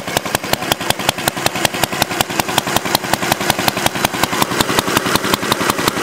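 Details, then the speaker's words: Homemade water-cooled Briggs & Stratton single-cylinder engine after 20 minutes running, cooler reading about 125, head about 96 by infrared gun: steady, evenly spaced beat, no misses, knocks or hunting; healthy. "All right, we've had it run for 20 minutes now and Mike wants to take some readings."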